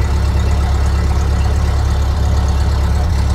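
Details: 1930 Ford Model A Deluxe Coupe, last registered 1980, revived with distributor reassembled and coolant added, oil still in the muffler: low, steady four-cylinder putter with no misses or knocks; smooth, normal idle.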